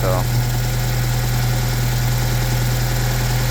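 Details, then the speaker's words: 1997 Honda Civic, 220,000 miles, oil burner that ran with only half a quart of oil and developed rod knock, after the fix: long cranking, check engine light on, then a steady even idle with no knocking; normal idle. "I don't know if it's gonna stay running or what. Gotta check engine light on. But I don't hear the rod knocking anymore,"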